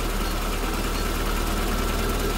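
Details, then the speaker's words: Rover Mini SPI being serviced for cooling system problems, cold and in its warm-up cycle; the rpm figure is stated as "12200". A smooth, even raised hum with no knocks or misses: a normal cold-start fast idle. "yeah it's under warmup cycle right now so it's about 12200 RPMs"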